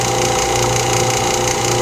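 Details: Steady electric hum with a constant low drone and airy hiss, no surging or rattles; a lathe vacuum chuck pump running normally, pulling a segmented bowl down for alignment with the tailstock unlocked.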